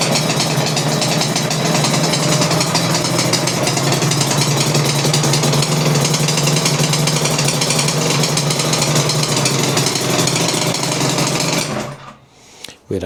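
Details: Suzuki RGV 250 VJ22 two-stroke under restoration, fuel on reserve, after recent carb issues that seem resolved: rapid crackly buzz holds steady for eleven seconds then is shut off; runs evenly with no misfires.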